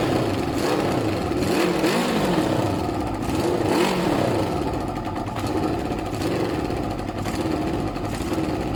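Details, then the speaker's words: Suzuki ZL600 Eliminator after carburetor cleaning, warming up with no choke (owner thinks it likely needs upjetting): steady, even run with smooth revs and no hesitation. Normal running without choke. "So you can hear the difference there, guys. It's running now with no choke actually. And listen, watch the revs, no hesitation."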